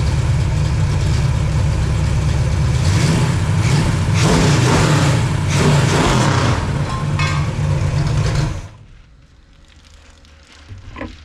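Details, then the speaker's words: Pontiac 421 .030 over with '69 big-valve heads: loud lumpy V8 with sharp throttle cracks to about 4,800–5,000 rpm, no smoke, then suddenly quieter as an unclamped muffler falls off. Loose muffler. "and there we go folks we lost a muffler as you can see I'm minus one clamp"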